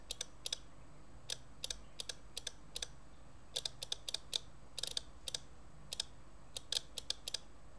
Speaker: you hear that tick tick tick so that's every time i touch it it's moving one impulse